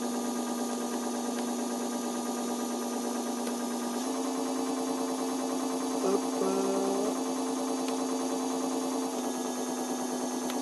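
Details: E-bike motor driven by its controller, switched from assist speed 2 to speed 1 of 3 during controller troubleshooting: steady electric whine stepping in pitch, holding, then dropping back; smooth running, no grinding.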